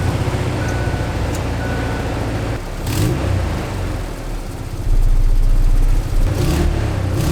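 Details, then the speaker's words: 1999 Ford Ranger 2.5 four-cylinder, just fitted with new coil packs, spark plugs and plug wires: lumpy, uneven engine note, beat stumbling around four per second and surging; still runs terribly, cause not yet found. "Okay, guys. The truck runs, but terribly."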